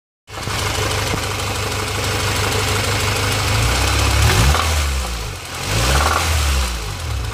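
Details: Honda Civic B16A2 engine that suddenly developed a rough, irregular knock, loud at 3,000+ rpm and quiet at idle, rising with revs; suspected crank, rod or bearing knock, not confirmed.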